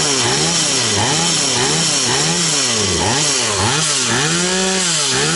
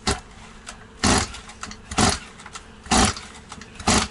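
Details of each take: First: Stihl 180 two-stroke chainsaw after piston and crankshaft seal replacement: crisp buzz revved up and down repeatedly, pitch rising and falling cleanly with each blip; revs normal, no air leak anywhere. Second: Stihl 180 chainsaw after piston and crankshaft seal replacement, carburetor and tank empty, choke closed: about one rasping pull-cord stroke per second, good compression but never catches; too much oil in cylinder, started once a little petrol was sprayed in.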